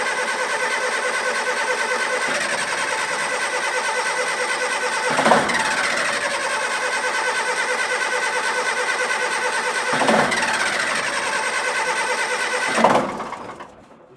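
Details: Diesel on a scrap-yard communication tower, sitting for years, churns on the starter for over twelve seconds with a surge every few seconds. It never catches, with only a little smoke; glow plugs are doubted, and the cause is unconfirmed.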